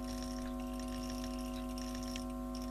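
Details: Fidelity Playtime tape recorder with BSR deck: steady low electrical hum with a buzzy edge, unchanged throughout; mains hum generated in the amplifier stage ahead of the volume control, fading with volume turned down.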